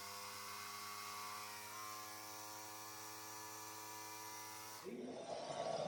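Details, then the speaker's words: Small compressor winterizing a Panoramic RV, pushing water out of the lines; pressure reads high at first, then drops as the system empties: a steady, constant-pitch buzzing hum, then a rush of air and water at the end; normal operation. "vous allez observer au début c'est que la pression sur le compresseur va être un petit peu plus élevé parce que le compresseur pousse l'eau à l'extérieur"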